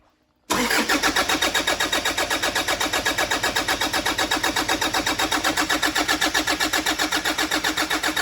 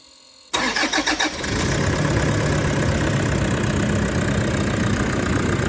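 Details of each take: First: 2013 Toyota Prado 150 at over 300,000 km with a brand-new long motor and turbo, freshly charged batteries: steady starter cranking about four pulses a second that never fires; cranks but won't start because one plug was left disconnected. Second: 2013 Toyota Prado 150 diesel, a bit over 300,000 km, after brand-new long motor and new turbo, with the one forgotten plug now connected: cranks briefly, catches cleanly and settles into a steady, even idle without misses or knocks.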